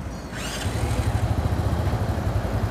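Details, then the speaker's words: Restored Honda Astrea with the imitation starter dynamo replaced by an original part and a replacement exhaust fitted. Smooth, even starter cranking with no grinding or clatter; normal, healthy starter. "Hai suaranya halus sekali KMI dia Jadi kalau kita nyalain staternya hai cespleng"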